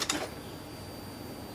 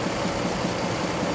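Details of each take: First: 2003 GMC Envoy 4.2L 4x4 automatic, after repairing a power steering pump with a broken pulley shaft: it catches quickly and settles into a steady, even idle with a faint belt-accessory whine; normal start and idle, and the steering works. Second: 2003 GMC Envoy 4.2L 4x4 auto, warm after 3–4 minutes running, serpentine belt still on before removal to rule out accessories: warm idle with a steady dull knock under the engine note, suggesting an internal engine knock.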